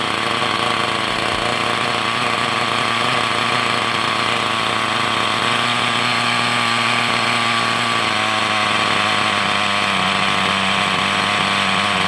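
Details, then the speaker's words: Hobao Hyper 7 nitro RC buggy after sitting over two years: small nitro engine buzzes at a high, steady pitch with no misfires or surging, idle slightly high, tick-over screw needs adjusting; normal running. "that sounds absolutely wonderful. Actually, that sounds brilliant. The tick over screw needs to go in."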